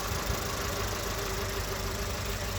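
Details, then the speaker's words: VW Polo Vivo 1.4 CLP engine after a full rebuild that cured a bad noise: steady, even low rumble with no knock or tick; the engine idles normally and sounds healthy. "Let me just start this car so that you can hear. So now car is idling normally. 1.4 I CLP engine."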